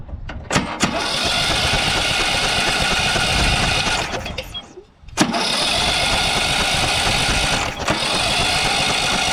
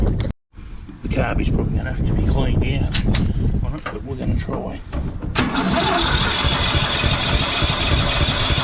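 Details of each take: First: Briggs & Stratton 12 hp single-cylinder ride-on mower engine, bought for parts, kill wire disconnected: catches after cranking, dips briefly, then picks up and runs on with a steady, even drone. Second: Briggs & Stratton ride-on mower engine on starting spray: several seconds of labored cranking, then a ragged uneven run, struggling to stay smooth; owner suspects the carburetor needs cleaning, unconfirmed.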